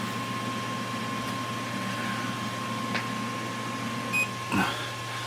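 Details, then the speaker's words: Creality CR-200B enclosed 3D printer, new out of box: the two back enclosure fans run quietly, extracting heat out the back, with slight noise and a faint whine from the hot end fan; normal fan operation. "back fans aren't making much noise at all and they are extracting heat from inside the machine and exhausting that out the back"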